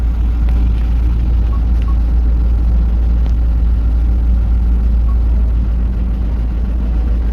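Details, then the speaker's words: Toyota Hilux 1GD diesel with knocking and black smoke, scanner actuation test cutting the fourth injector at idle: uneven lumpy low shaky rumble with no steady beat, engine sound changes and shifter shakes. "भी इंजन का sound change हो गया और शिफ्टर उसी तरह से मिल रहा है।"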